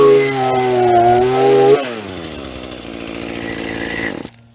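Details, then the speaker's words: Hitachi CS33EB chainsaw after the bone-dry chain oil tank was refilled, cutting a roughly 5-inch log: revs bog slightly as the chain bites, pull steadily through, then drop off. It cuts normally, making a medium chip; chain is not super sharp. "Yeah, it makes a medium chip. I wouldn't say it's super sharp, but it goes through wood just fine."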